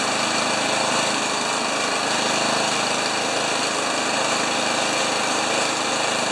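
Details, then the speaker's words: Honda HRA214 mower unused for two years, after cleaning plug, new gas and draining carb bowl; smooth, even buzz, idling around 1500 rpm and high speed about 3270 rpm with blade clutch disengaged, no misses or surging; normal idle and high speed. "so around 1500 RPMs for an idle and what was that 30 270 for a high speed uh run without the clutch in well that's really good"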